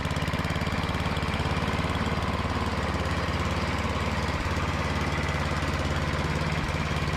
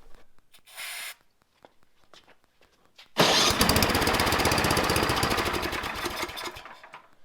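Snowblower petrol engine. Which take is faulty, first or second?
second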